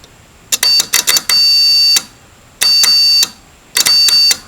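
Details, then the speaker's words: Electric oven control board bake relay powered from a drill battery: multimeter continuity beeps in stuttering bursts then long holds, showing relay contacts closed and conducting; relay clicks and works. "so when I power the relay I'm getting connection across there and this is for the bake so the relay is definitely working"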